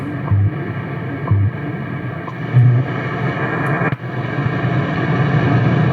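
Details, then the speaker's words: Radio receiver under repair, on isolation transformer and current-limited variac, tuned to shortwave: steady static with crisp once-a-second time-signal ticks; shortwave reception working reasonably well. "time signal again so it's not working too bad"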